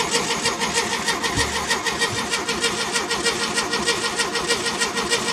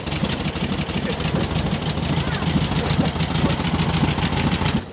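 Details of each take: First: 1969 VW Beetle, stored and unrun for over 25 years, with a new battery and fuel fed in, in neutral. Steady, even starter churning, about a turn and a half per second, never catching; no spark seen and the oil light stays on. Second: 1969 VW Beetle revived after 25+ years unrun, distributor rotor now installed: steady, even idle with quick regular chuffing beat, no knocks or misses; healthy flat-four, normal idle.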